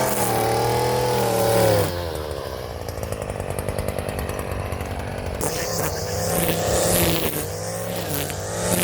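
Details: Stihl FS 56 RC trimmer restarted warm, after 20:1 mis-mix and cleaning of muffler screen and spark plug: steady even buzz, no misses or surging; running properly.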